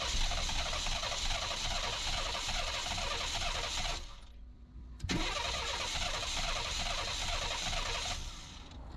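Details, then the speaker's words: Car cranking with fuel pump running and fuel pressure present: fast, even cranking with a few weak pops that never catch, then more cranking; a crank-no-start, and the owner suspects a fuel injector problem or chewed wire. "I hear the fuel pump. It's kicking over and it's wanting to fire, but it's not firing."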